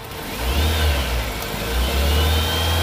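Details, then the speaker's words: 2000 Toyota Soluna XLi manual, not an ex-taxi, privately used: idle rising smoothly on two throttle blips and dropping back evenly, no knocks or rattles; normal revving, engine sounds very good. "Wah, suaranya enak banget, Teman-teman. Enak banget untuk mesinnya."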